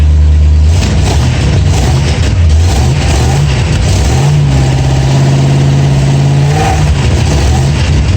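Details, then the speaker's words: Old Ford Galaxie V8 with points ignition, after fixing a shorted coil resistor wire, with an exhaust manifold gasket leak: revs climb but stumble and waver around a third to half throttle; owner suspects vacuum advance/distributor not advancing spark. "I'm not getting full throttle and losing it about maybe a third to a half throttle and then it starts to break up because the distributor isn't advancing it to bring the spark up to it to catch up"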